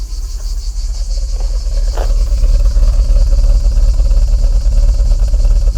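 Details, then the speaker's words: BMW 520i E34 with a slight rough idle that shakes the whole car. A deep, uneven exhaust thump at about three beats a second that goes away when accelerating. "Je sais pas si vous entendez. Blop, blop, blop, blop, blop. Moi, je le sens parce que ça tremble, ça fait bouger toute la voiture."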